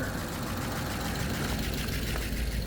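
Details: 2001 Audi A8 Quattro 3.7 L, first start after sitting about 11 years, new battery, alternator disconnected: low busy idle, fairly even with slight rough edge; rough idle after storage, later misses a beat when warm, cause unconfirmed.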